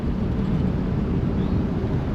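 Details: 1955 Chevy Bel Air with small-block Chevy after replacing a faulty fuel pump, having earlier fitted a new carburettor: deep, even rumble while driving, no knocks, stumbles or squeals; the engine is running normally again.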